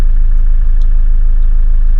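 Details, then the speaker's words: Toyota Landcruiser 79 Series four-cylinder automatic diesel on a freezing cold morning: deep, steady, even idle just after a cold start, quiet, with no usual cold start rattle or knock. "Oh, no cold start rattle. Did you hear that? That was quite a quiet start."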